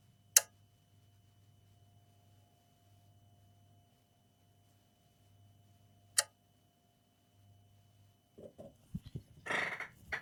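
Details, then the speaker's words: Linear bench power supply feeding an HP 15-eu0501sa laptop with a not-charging fault: two sharp lone clicks about six seconds apart over a faint hum, the relay dropping into current limit as the load hits 5 amps. "so actually you see here five amps no base is hitting five amps that's why it's clicking the relay is clicking is going into the limit"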